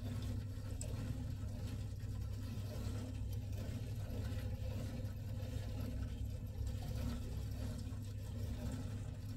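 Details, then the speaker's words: Old oil-fired gravity hot-water heating system with no hot water: steady deep rumbling and gargling from the boiler, overheating and kettling, here caused by a blocked cold feed pipe; boiler kettling from overheating. "hear a bit of gargling there b sounds like it might be overheating actually yeah can you hear that"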